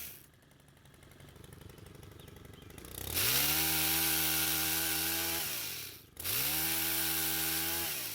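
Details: Stihl two-stroke pole saw, stored for years and wouldn't stay running, after carburetor repair: fires, revs high and holds clean, drops off, then picks up crisply again, strong and even; normal running.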